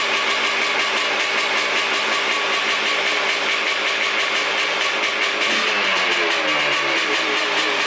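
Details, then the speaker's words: 1989 Honda CR500R two-stroke, bought non-running, just kick-started: raw, crackly, loud hollow blare with no silencing; the muffler is completely blown out and needs repacking. "And then the muffler, I think you guys heard, is completely blown out. I'm not even sure if this is the right muffler for it. I think it is, but it's completely blown out. It needs to be repacked."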